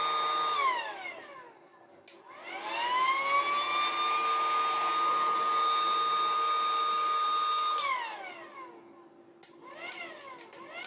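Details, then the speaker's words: Battery-powered pool pump with an intermittent start fault, after cleaning and spraying: clean whine climbs quickly to steady pitch, holds evenly, winds down and restarts smoothly; starts straight away, a connection issue suspected as the cause. "So if I switch this on now, oh, it's coming on straight away now."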